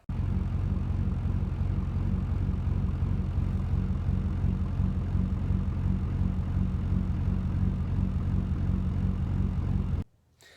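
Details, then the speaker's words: 2001 Chevrolet Silverado 2500HD LB7 Duramax at idle: deep diesel idle with uneven wop-wop lope about three times a second, surging; actual fuel rail pressure bouncing far beyond desired, traced to the fuel pressure regulator (FPR) before replacement. "obviously, if you look in the bottom right of that screen, you can see that my actual fuel pressure is just going all over the place. That should not be moving more than maybe 0.1, maybe 0.2 kpsi, right?"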